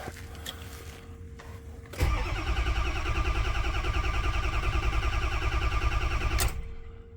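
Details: 2006 Ford F350 crank-no-start with oil pressure, fuel pressure and fuel present: starter churns at a steady rate, about three beats a second, with no firing. Cause found to be the camshaft position sensor.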